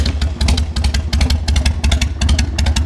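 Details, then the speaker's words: Roughly 26,000–28,000-mile Harley V-twin bought for $2k, started on a day around 55°F and still a little cold: loud, steady loping thump at a brisk idle from an open pipe; healthy but idle slightly high. "it's still a little cold but it should idle without the the idle's a little high and it should idle without the choke"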